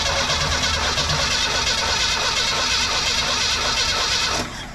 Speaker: I'm not seeing anything no spark so we haven't even messed with the ignition system so we're going to go ahead and pull that distributor cap